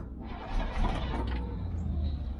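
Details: Old petrol GMC bucket truck with Holley carburetor, cranked from the cab working choke and throttle: starter churning with uneven sputters and a brief surge, trying to catch but won't run on its own.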